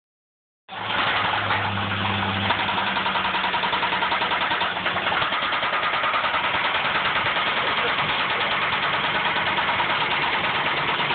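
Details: Ford Ranger 4.0L engine fires up and settles into a heavy, steady knock about three times a second on every revolution: severe rod knock from a spun bearing, possibly two.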